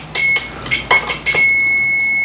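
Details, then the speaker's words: BoxMotor pulse motor with excess amp draw; a meter shows full continuity positive to negative and beeps into a steady tone. Continuity remains after pulling the first of three chips, so the short lies in another chip. "as you can hear we have full continuity from the positive to the negative that's where the amp draw comes from"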